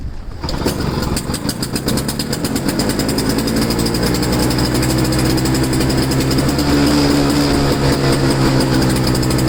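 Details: Two-stroke snow blower, cold and windy start after sitting 10 months, refilled with 2-stroke fuel, choked: engine catches and settles into a steady, fast, rattly two-stroke buzz that holds even speed; normal running.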